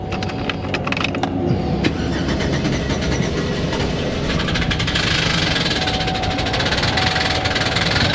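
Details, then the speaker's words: Engine catches and settles to a rough idle with fast, sharp top-end ticking; diagnosed as a lifter turned sideways, engine needs replacing. "That's not good. That noise. That noise is a lifter turned sideways and the lifter boards."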